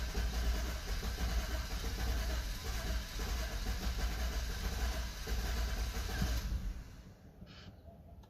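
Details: BMW F10 528i (2012), cold morning start. Long, labored cranking with an uneven low chug that dies without a clean catch; it starts only after multiple attempts when cold. Fixed by replacing the eccentric shaft sensor.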